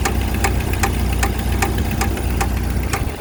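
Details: 1995 Jeep Wrangler YJ at idle, oil pressure and level fine, plugs and wires checked: sharp regular ticks about 2.5 per second over low rumble; owner suspects exhaust leak rather than rod knock, unconfirmed.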